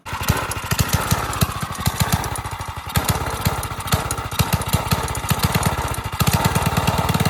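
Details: Single-cylinder engine on a drift quad, freshly fitted with a Nibbi carb, after an initial flood: crisp, even firing pulses with throttle blips, picking up cleanly and running strong and healthy, sounds different.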